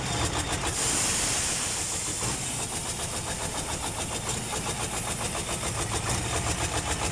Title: actros Mercedes Benz automatic hard starting, problem